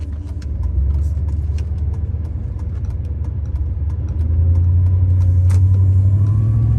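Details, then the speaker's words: 2005 Chevrolet Silverado 3500 dually 4x4, 8.1 L V8, Allison automatic, 26,000 miles, accelerating uphill through the gears: deep, smooth V8 pull rising cleanly in pitch through the shifts, no knocks or whine; normal healthy engine under load. "We'll take off, we'll head up the hill so we can hear the 8.1 run, as well as put the Allison automatic transmission through all the gears so you can hear for yourself how there's no issues with anything on this truck at all."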